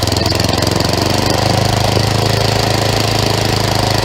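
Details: Craftsman 11/30 snowblower small single-cylinder engine after auger belt replacement and idler pulley adjustment; it had been revving very high, so the high-speed carburettor screw was backed off; now thumps steadily at moderate speed, no surging or over-revving: normal running.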